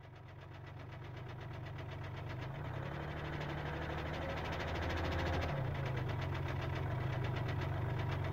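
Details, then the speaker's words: 2012 Kia Rio 1.1 CRDi (75 hp) diesel with DPF, first start after about 8 months abandoned: a regular hard knock, about four a second, worsening with revs, plus excessive smoke. Suspected piston slap; turbo leaking oil is also suspected. "motorul are o butoaie puternică care se accentuează odată cu accelerarea lui presupun că este o bătaie de piston fenomenul numit piston slab"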